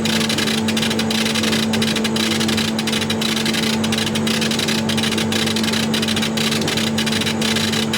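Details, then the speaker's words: Chinese laser cutter etching glass, speed raised from 50 to 200 mm/s: hiss from the tube is longer and back to normal versus the noisier high-impact pre-ionization zone; steady hiss and low hum with short breaks. "with that High Impact pre-ionization Zone on the tube and you can hear how hissy and noisy it is now we're up to 200 mm a second you can hear this is a much longer his this has gone back to normal"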